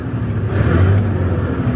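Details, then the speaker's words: Caterpillar C15 diesel truck, owner sure it has a blown head gasket, after injector cleaning. Warmed up and revved to about 1,700 rpm, it gives a deep, steady drone with no shake, rattle or knock: normal revving. "Ain't shaking, ain't rattling, ain't knocking. So what I did was hopped up in here, let it warm up a little bit, and then I was just pushing the gas pedal and revving it up."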